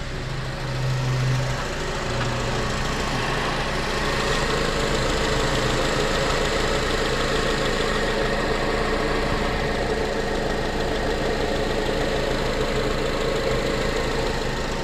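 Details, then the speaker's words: 2006 Honda Accord after no-start diagnosis: steady, even idle with a smooth low hum, no misses or knocks; normal idle. "But, it's running. And it sounds good."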